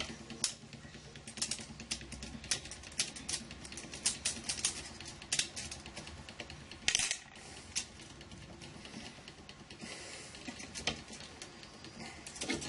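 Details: Makerbot Replicator 2X 3D printer printing, about 10 minutes in, in a Mightyboard failure test requested by support: irregular sharp clicking and rattling in uneven bursts with no steady rhythm; fault present, cause unclear.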